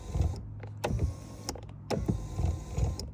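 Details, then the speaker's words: 2009 Toyota Venza AWD driver's power seat moving forward: the motor hums with repeated hard clunks as the motor mechanism visibly jumps, with no noise going backward; a loose seat motor mount, fixed by tightening two Allen screws. "the driver's seat makes a funny noise when you go forward does yours do that? This is going backwards it's fine, the problem is you see that little motor right there , that that mechanism can you see it jump?"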